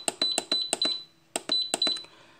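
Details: Belarusian multicooker-pressure cooker, with the meat/poultry program and a 40-minute time being set. Its panel gives two quick bursts of about six short, crisp high beeps each, with a pause between: buttons registering presses normally.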